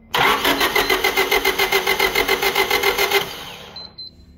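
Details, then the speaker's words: Used Honda being checked for resale, starter jumped via gator clip: even cranking chugs about three or four a second, never fires; sounds like good compression but no spark despite replaced distributor; crank no start. "So what's funny is that it sounds like it has compression. You need compression, you need fuel and spark to start the car."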